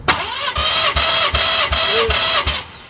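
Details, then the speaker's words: BMW F30 340i B58 engine (600HP build) smoking oil, compression test: starter cranking with even pulses about 2.5 per second, no weak or skipped strokes; readings 200-220, compression solid. "220, Holding. 200. Oh yeah, that's solid. 200."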